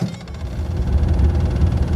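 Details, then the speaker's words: 1925 Doble Series E steam car started from dead after pumping water into the boiler: a low roar swells and settles into a steady throb as the burner ignites. Steam temperature must reach at least 500 degrees before moving. Normal burner ignition at startup. "i now i have ignition this is my uh steam temperature you don't want to move until it's at least 500 degrees"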